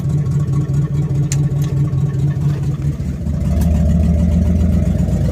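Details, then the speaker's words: 1970 Chevelle SS 396 number-matched V8, 39,000 miles: loud uneven low exhaust rumble at idle from an exhaust leak; slight hesitation on acceleration. "So the car's got an exhaust leak."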